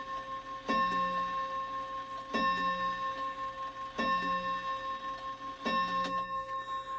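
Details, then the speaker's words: Shanghai 555 clock after adjusting the chime and securing the movement: evenly spaced, clean bell strikes about every 1.5 s, counting 11 correctly. Normal hour strike. "Good clock, good clock. We'll do one more, just to make sure."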